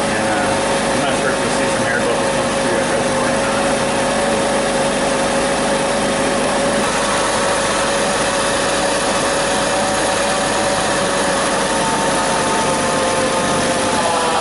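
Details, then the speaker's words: Kia Sedona V6 idling after power steering pump replacement, with the cap loose and the wheel turned lock to lock. A steady mid-pitched whine rides over the idle, air in the power steering system, with foam settling in the reservoir. "I'm going to let that foam settle down inside the reservoir once that settles down we'll start it back up"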